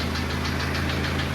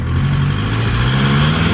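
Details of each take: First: Diesel engine on a drive with oil pressure thought to be too high: sharp, evenly spaced knock over the idle at several beats a second; internal engine damage suspected, a damaged piston in one cylinder. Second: Diesel engine after head work and washer replacement, long hard drive: deep, smooth drone climbing and falling through the gears under hard acceleration, no knock; some blow-by, zero cooling system pressure; running normally under load.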